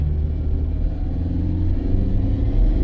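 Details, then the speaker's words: Road test after repair of P0340 camshaft sensor code: engine revs up freely and builds smoothly under load with deep steady rumble, no stumble or misfire; normal revving, would not rev this high with a cam sensor fault. "You can hear it revving up. The motor would never rev that high if there was issues with the cam sensor."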